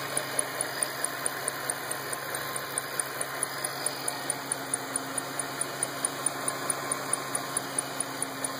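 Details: 2008 Shelby GT500 engine ticking at idle: light, sharp ticks about twice a second over a quiet steady idle; source of the tick not yet pinned down.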